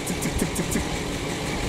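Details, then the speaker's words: PAZ-672 bus engine at idle, near 80°C but not fully warmed: light, even tick about six per second over a steady idle; owner thinks one valve's clearance was left slightly loose. Valve tick. "Ну такого еще не было. Где-то какой-то клапан подстукивает, где-то я зазор чуть-чуть упустил."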